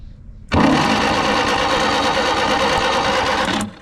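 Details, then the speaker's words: 1957 Peugeot 403 U8 pickup, thought unrun for 34 years, cranking slowly on the handle out of gear: a steady even churn that never fires. Owners suspect weak spark, possibly shorting out underneath, though sparks are later seen jumping. Crank, no start. "Yeah, I don't think it's sparking what it's meant to though. Is it underneath? Yeah, I think it's shorting out underneath."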